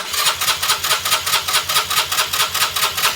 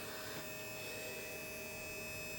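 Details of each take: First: 2020 Keeway RKS 125 fuel-injected motorcycle, won't start: even starter cranking about 2.5 strokes per second that never fires; spark present, fuel pump heard. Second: 2020 Keeway RKS 125 fuel-injected motorcycle that won't start though spark is present: steady even hum with thin high whine at key-on; fuel pump priming normally.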